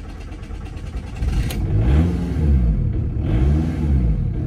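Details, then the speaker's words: VW TDI ALH diesel started right after fitting new injector nozzles and bleeding the lines. Brief cranking, then it catches and revs up and down in smooth swells with no misfire or knock: a normal start. "okay start it right up"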